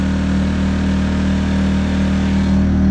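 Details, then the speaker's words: Predator 2000 W inverter generator after the whistling, rough-running fix, with six screws re-tightened: steady, even low hum on eco throttle with no surging or misses. Runs smooth and healthy. "Eco throttle. Sounds beautiful."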